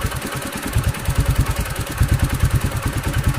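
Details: Vintage 125 cc motorcycle, previously would not start, running after ignition repair with an aftermarket CDI and open exhaust: loud, deep, pulsing exhaust beat at normal idle with no knocking or grinding.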